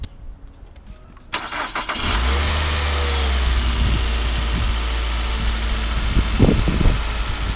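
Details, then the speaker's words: 2007 Nissan Altima 2.5 L four-cylinder after coil packs moved, engine started and idling: slightly uneven stumbling beat; cylinder 3 misfire detected (P0303), originally P0302, traced to faulty ignition coil pack. "well here we have it we now have a cylinder 3 misfire detected P 303"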